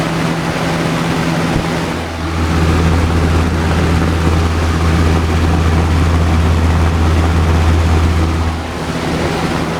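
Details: Old Lasko box fan after repair of bad creaking and near-seizure: steady low motor hum and even airflow whoosh, no creaks or scraping; running smoothly.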